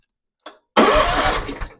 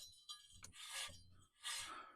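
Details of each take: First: 2016 Hustler Super Z 72-in zero-turn mower that smoked and shut down, with failed electronic PTO clutch removed: brief click, then engine spins over freely, showing it isn't seized; engine cranks normally. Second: 2016 Hustler Super Z 72-in zero-turn: the removed electronic PTO clutch, spun by hand near the mic, gives dry, gritty rasps. Its bearings are gone; they probably locked up, overheated, smoked and stalled the engine.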